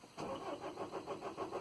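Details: 2010 Renault Trafic 2.0 dCi diesel works van cranks evenly at about six to seven compression pulses a second without firing; scan tool shows RPM, immobiliser light not illuminating and computer supply only 3.03 V; immobiliser suspected, not confirmed.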